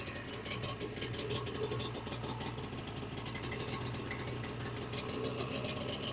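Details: 1995 Ski-Doo Formula S 380 fan-cooled two-stroke snowmobile, unrun for about a year, primed and started with throttle held halfway: fast, crackly, even buzzy idle with light rattle, steady without stumbling; running healthy.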